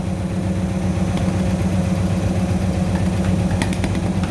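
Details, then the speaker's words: Hyundai H1 diesel after injector repair for hard starting and black smoke: even, steady idle with a low regular beat, no misfire stumble, hunting or knock; normal idle after repair. "หลังจากซ่อมนะครับมันต้องกลับมานิ่งแบบนี้นะครับ"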